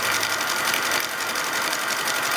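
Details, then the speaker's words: Repaired Hornby G100 live steam Stephenson's Rocket model under steam with speed slightly increased: rapid, even chuffing with a light hiss and no noise from the cylinders or valves, very smooth running. "i'm really pleased to report there's no unnecessary noises from the cylinders or the valves everything's very smooth"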